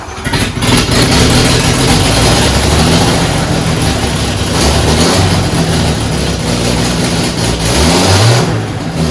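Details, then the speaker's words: Barn-find 1974 Toyota FJ40 six-cylinder, first run after sitting for years, throttle held about a third open, odd-smelling fuel. Loud busy run with some revving, even pulses, no obvious miss. Engine running on all cylinders. "so this doesn't sound bad no the forests seem to sound worse yeah but this is okay and it actually sounded like it was running on all cylinders"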